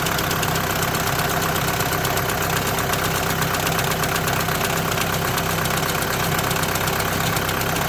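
Constant idle with a gritty, loosely timed rattle near two per second; suspect the dual-clutch plate or its bearing.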